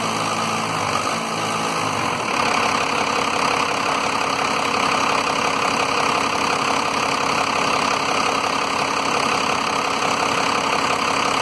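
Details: 1993 Dodge Cummins diesel at idle with rough idle and low power, fuel pressure monitored: steady clatter with uneven lumpy beat, cutting out periodically; owner suspects lift pump, not confirmed.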